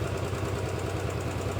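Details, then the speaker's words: Royal Enfield Bullet 500 B5 single-cylinder after rebuild, warm idle after 10–15 min running: light quick tappet tick from the top end over the steady thump, worst on the overheated pushrod whose end is worn eye-shaped; slightly better than before. "it's slightly better than it was but put a screw driver to it it sounds the worst on this push rod which was the one that was extremely warm"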